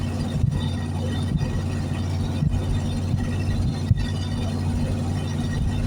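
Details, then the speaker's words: 1973 Plymouth Fury III V8, off the road 7 years, driving in third gear; owner hopes running it out of gas cleared the old gunky gas: a steady, deep, even rumble with no knocks, misses or stumbles. Running good. "She was a fighter. I really never thought I'd get to this point with it, but yeah, she's running good."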